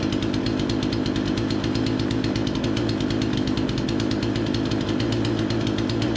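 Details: Remington 46cc chainsaw, low-speed screw turned about an eighth clockwise to lean a suspected rich mixture: loud even two-stroke buzz at steady high speed, no bogging or surging; seems dialed in; normal running.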